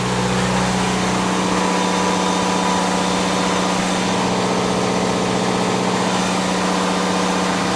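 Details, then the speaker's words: Onan DJC diesel generator, warmed up, load bank turned up to a little over 11 kW (bank rated 10 kW): deep steady drone, even beat, no knocks or misses; healthy under heavy load. "We got a little over 11 kilowatts right there. The load bank is rated at 10 kilowatts, but like any good made product, well, it's always underrated."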